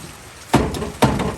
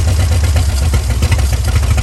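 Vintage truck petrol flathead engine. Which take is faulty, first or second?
first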